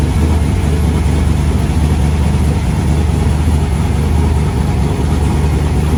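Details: Replacement LS1 V8 fitted after the previous engine threw a rod through the pan, first start after priming fuel pressure: deep, loud idle with a choppy cam lope and no clacking; healthy, normal cammed idle.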